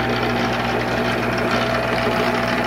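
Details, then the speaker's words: Monarch 10EE lathe headstock gear train, running at a changed speed setting: steady whirring hum with fine constant rattle underneath; still a little rattly, stops when load is applied, cause not found. "mean it's still a little rattly in there i don't know you tell me guys what do you think if you put any kind of a load on it it stops"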